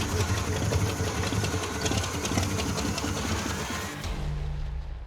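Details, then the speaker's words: Derelict 1980 Pontiac Turbo Trans Am V8 running roughly with uneven lumpy clatter then fading; smoke puffing from odd spots, battery dying, crunch felt through floorboards on one downstroke; cause unconfirmed. "it's like puffing amazing amounts of smoke out of spots that shouldn't be puffing smoke yep and the battery seems to be dying it doesn't seem happy it's like you can feel in the like the floorboards that there's some crunch on one of the downstrokes"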